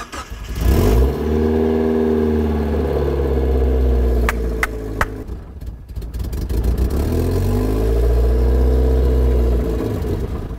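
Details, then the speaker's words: Mazda Miata, first start after head gasket replacement (coolant refilled with distilled water): engine starts and revs, uneven rhythmic whipping/flapping about three per second over the idle, source unknown; idles pretty solid. "i don't know what that kind of whipping noise is like it's idling pretty solid now"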